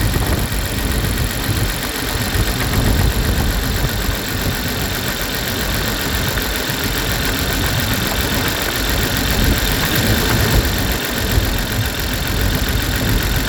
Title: 2002 BMW Z3 2.2i Cold Start Misfire